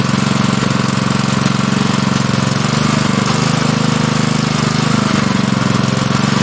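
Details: Honda GP160 likely two-inch water pump engine, stored unused probably over a year and wouldn't start, after carburetor work with the fuel line and spring refitted: fast, even single-cylinder chug at steady speed, no stumbling; running normally.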